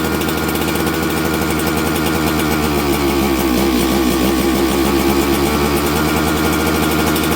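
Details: Auction-bought 266XP two-stroke chainsaw, just fitted with a new ignition after sitting, warmed up and run with the air filter off: even burble with a brief rise in speed, steady with no hunting. Runs well and tunes easily despite the aged carburettor.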